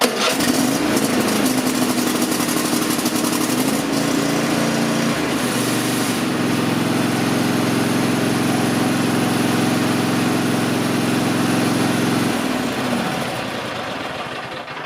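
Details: Cub Cadet XT-1 riding mower, Kohler 7000 series 22 HP V-twin, warm engine, after correctly setting the throttle to full choke position to fix hard start; catches quickly and runs steady and even until shut off: normal start and run.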